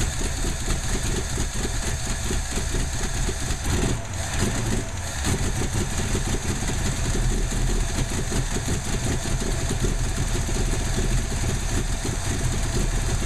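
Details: Ford 289 V8 idling with an uneven, stumbling beat and irregular dropouts in the exhaust pulse, a misfire on one or more cylinders.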